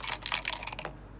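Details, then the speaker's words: Razer mouse: quick run of sharp clicks, then the button goes silent, clicks twice and stops; physical switch clicking only intermittently. "see that's the sound of a click oh now the clicking is so it like clicks twice and then it just stops"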